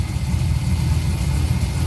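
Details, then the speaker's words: LS-swapped Porsche 944 with Chevy 6.0 V8, first start after oil and filter change, unstarted six weeks on a six-year-old battery; oil pressure present, left running to charge. Deep, steady V8 burble with even low rumble, no knocks or ticks; healthy idle. "got oil very tempted to put it down on the ground and take it out for a ride but we're at least going to leave it run for a little bit to charge things up and stuff"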